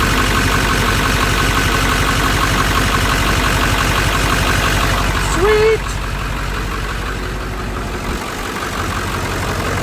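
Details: Ford F350 7.3 diesel idling after an oil change: steady, even clatter with a regular knock about four times a second, smooth with no misses; noticeably quieter with fresh oil, sounding healthy.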